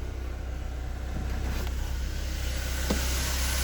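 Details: 2005 Chevrolet Corsa 1.6 8v: noise occurs only with the clutch pedal pressed, crankshaft suspected. Here the clutch is released and the engine holds a steady, low, smooth idle with no knock or rattle.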